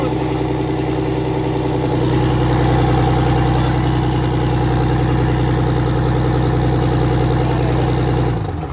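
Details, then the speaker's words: 6V92 Detroit Diesel bus engine after a cold start, during rack and valve adjustment checks: deep even idle with steady low rumble, all cylinders now firing after about 20 seconds; normal. "Now all of them are running. Normal. That's normal."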